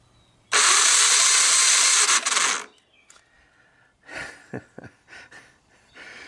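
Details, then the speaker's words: 1986 Honda TRX250 with newly installed starter and top starter gears, engine known for low compression: loud high gritty whirring for two seconds then stops; owner suspects clutch or other gears. Rough-sounding starter cranking, cause unconfirmed. "it doesn't sound great does it um let's see what kind of compression we get out of this i that doesn't yeah that doesn't sound great"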